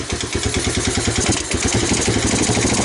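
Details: 1985 Honda ATC250ES Big Red three-wheeler, abandoned 20 years, rodent infested, stuck valve, weak battery, choked, possibly low on gas, air cleaner missing: single-cylinder idle with uneven stumbling pulses that lose rhythm; faltering idle, cause not confirmed.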